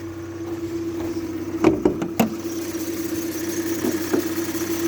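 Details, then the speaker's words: Hyundai i40 2.0 G4NA petrol, 180,796 km, never overhauled, started about ten minutes earlier and still warming up: steady, even idle hum with no knocking or rattles; the engine sounds healthy. "никаких стуков ничего такого нет"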